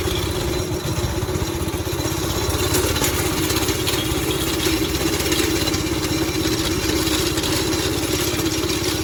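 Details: Go-kart 5.5 hp Briggs & Stratton single, warming up after the loose throttle cable was reattached: chatters along at a fast, steady idle without surging or dying out; runs normally.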